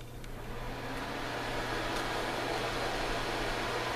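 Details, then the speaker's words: Suncourt HC300 register booster fan, nine blades, C-frame motor, on manual setting: loud, steady rushing-air roar with a low hum underneath, building slightly as it comes up to speed; noisy but even. "Noisy as hell. And this is on manual."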